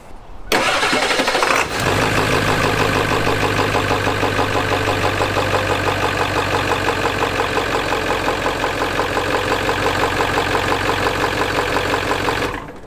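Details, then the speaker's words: Ford 7.3 Powerstroke diesel after fuel filter and oil change, before priming: brief crank, fires instantly into steady, even diesel idle clatter, no misses or knocks; owner assumes residual fuel in lines; engine consumes some oil. "Of course it makes a liar out of me and fires right up instantly, but I'm gonna assume that's based off of the residual fuel that's still in the fuel lines."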